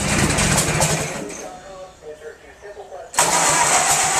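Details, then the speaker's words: Case VAC tractor engine hot-wired to start, first run in 10 years after distributor work: catches after brief crank, then loud raspy hiss and puffing from a manifold full of holes; owner thinks the gear may need oil. Exhaust manifold leak. "Well, that manifold, all the holes in it, makes a lot of noise."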